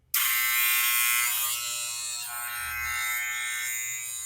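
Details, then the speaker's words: Barber hair clipper running out of adjustment, shrill steady high buzz that wavers midway; setting its adjustment button while it runs cures the odd noise, leaving normal clipper noise. "Bueno, pues si se dan cuenta, suena algo raro. Entonces para esto la vamos a encender y así encendida vamos a calibrar su botón hasta que deje de hacer ese sonido pues, bastante molesto."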